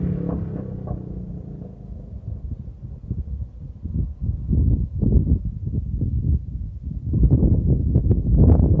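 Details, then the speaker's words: Bike with an aftermarket pipe making passes by the camera in a canyon. The drone rises on the pass, then sharp irregular gunshot-like cracks and pops when the throttle closes. Exhaust backfire on deceleration, which the rider blames on the baffle. "Point being is, I noticed there's something pretty interesting about this video, is when I go flying by the camera, you will notice as I let off the throttle, it sounds like gunshots because of the baffle."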